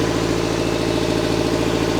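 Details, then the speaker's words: Subaru Forester at cold idle, with a startup noise the owner says goes away after driving: a quick, even puffing tick, heard near the exhaust manifold, that quiets as the engine warms. Exhaust manifold leak suspected, not confirmed. "Yeah, you can definitely hear clear exhaust leak. Sounds like maybe from under the vehicle."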